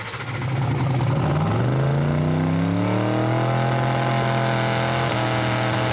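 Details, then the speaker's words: Turbocharged race engine on two-step after switching back to a normal-weather tune with more fuel, previously lean and sneezing in heat: revs climb smoothly to a steady held note, no stumbles; normal boost build. "But you hear how it comes up. It's nice. It's fine."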